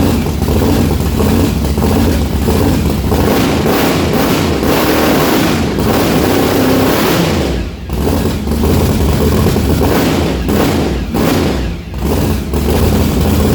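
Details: Methanol-converted blown, injected big-block V8 at first start-up: loud, uneven idle with lumpy stumbling beat and dropouts, one cylinder dead, fuel spraying out the exhaust; misfire, cause not yet found, owner believes plugs are fine.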